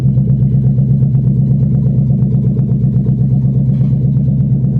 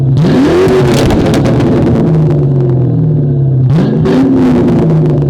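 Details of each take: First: 1997 Ford Mustang GT V8 with no exhaust system, only the exhaust manifolds, driven off a trailer: very loud raw rumble with sharp even pops from the uncapped manifolds, fully open exhaust. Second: 1997 Ford Mustang GT V8 on a cold day after fitting SLP Loudmouth exhaust and BBK X-pipe, no check engine light: deep, even burble rising smoothly on two quick blips and settling to a steady idle; sounds right.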